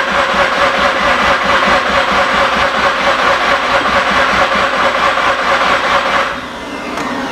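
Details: Mazda RX8 13B rotary after injector cleaning and fuel pump replacement, on a jump pack: steady even cranking at about two beats a second for six seconds, never catching; no fuel delivery.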